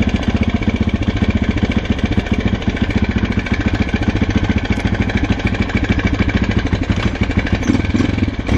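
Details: Husqvarna SM 610 single-cylinder, 2006, 18,000 km, at steady idle: thumping with a sharp metallic knock riding each firing pulse; engine knock, cause not yet pinned down.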